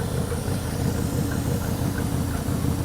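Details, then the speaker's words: Ford 289 V8 in a Galaxie first start on rebuilt Autolite 2100 carburetor: steady even low idle rumble, no knocks, misses or hiss, pulling 21 inches of vacuum; healthy. "what is that 21 inches of vacuum perfect she's happy to pull it up a little bit"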